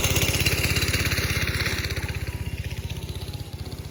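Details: Go-kart 5.5 hp Briggs & Stratton single, after reattaching the loose throttle cable, choke off: steady quick single-cylinder beat, easing down slightly as throttle drops; throttle responds and it runs cleanly.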